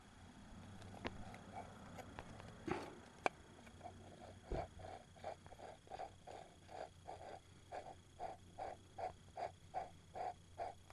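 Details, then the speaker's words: Honda PCX final-gear bearing rolled by hand: gritty, rasping pulses about twice a second; the bearing is rough, contaminated and worn out. "you hear that it's all grit that very shot yeah it's still all together"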